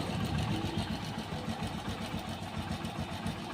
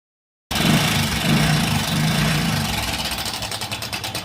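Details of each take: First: तो गाड़ी भाई बिल्कुल आवाज़ साइलेंट है, कोई कटपट की आवाज़ नहीं है, बिल्कुल भी ओके रिपोर्ट है। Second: Hero Passion Pro i3s motorcycle at idle: quick metallic kit-kit rattle, roughly three per second, over the engine, indicating a worn timing chain.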